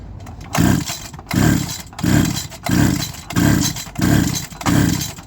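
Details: Stihl FS76 trimmer during a compression check ahead of a teardown: seven even pull-over whooshes, about one per second, each with a steady low chuff. The gauge reads just over 120 PSI and holds; good compression.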